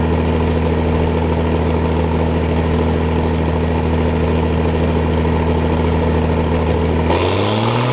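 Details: Diesel engine warming up at idle on a hot day; deep, steady, even throb with no knocks or misses, settling lower near the end; normal warm-up idle.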